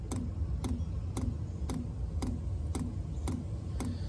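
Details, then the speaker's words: Chinese diesel cab heater in a skoolie bus, at startup, heard from below: sharp regular clicks about twice a second over a low hum, the dosing fuel pump working normally and speeding up as it calls for heat. "there's the fuel pump pumping and as it starts calling for heat that'll go faster there you go hear it kicking up"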